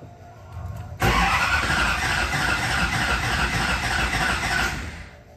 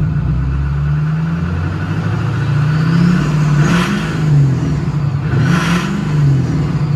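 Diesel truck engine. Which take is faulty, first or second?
first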